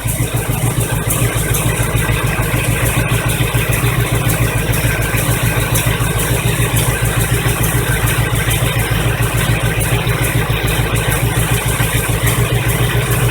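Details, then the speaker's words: 1985 Chevy truck idling after fuel pump replacement: steady idle with a fast rhythmic clatter of about three beats a second as the alternator shakes around on a broken bracket. "now you can see that alternator shake around pretty good"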